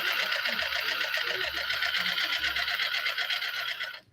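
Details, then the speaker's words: Traxxas TRX-4 limited edition crawler, freshly installed metal gearbox rebuilt with TDK grease and thread-locked screws, powered up: steady buzzy high whir with even fast pulse, grunty, no knocks or grinding; gearbox and motor running healthy. "The sound is good. I like that sound because it's really grunty."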